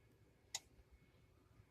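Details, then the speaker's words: Electric stove element at setting 2, powered by an Inergy Kodiak/Apex solar generator under load: a single crisp click as the element cycles on and off rapidly to hold temperature; normal operation. "throttle it back to two and the element of the stove keeps turning and on and off very quickly keeping the temperature of the element in"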